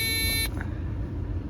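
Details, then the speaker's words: Aftermarket low coolant sensor fitted to a 1.3 petrol Nissan/Renault/Dacia engine, coolant drained just under minimum, engine idling, bonnet closed: steady high buzz for half a second then cuts off, cabin LED lit; low coolant warning buzzer. "Now let's, just to be sure, also test with the bonnet closed. It still beeps. That's great. Great. There you go, you can see the LED light and you really clearly hear the buzzer."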